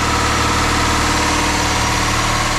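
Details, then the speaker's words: Volvo 480 running again after a troubled thermostat job, letting excess fuel in the system burn off: a steady, even idle with a smooth low hum and no misses. The owner suspects a slight vacuum leak at high idle; normal idle. "Okay, I'm going to let the car idle for a moment. There's a lot of excess fuel in the system, so just let them burn off what it wants."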